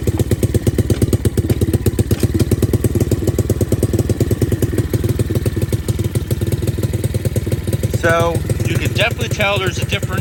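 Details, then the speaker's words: Cheap kids' quad bike after a carb mishap and throttle repair idles with a steady, deep, even thumping beat, throaty like a mini Harley V-twin; running healthy. "the auto just right and when i fired it up i realized that it almost sounded it almost sounds like a mini harley"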